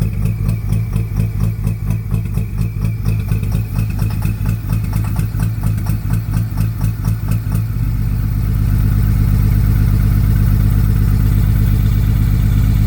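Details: 2004 5.9L diesel truck that began smoking black and knocking at idle after a long trip: sharp, even knock about four times a second over a rough idle, then smoothing out. Kill test isolates cylinder #5, a bad injector.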